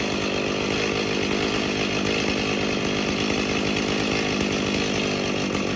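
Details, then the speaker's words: Stihl MS 290 chainsaw, somewhat warm, revving: ragged, uneven high-rev buzz instead of a clean scream; runs rough with poor trigger response, bogs and stalls, later given a carburetor rebuild. "so you see it's it should not run in smooth and you'll see it doesn't have really good trigger response"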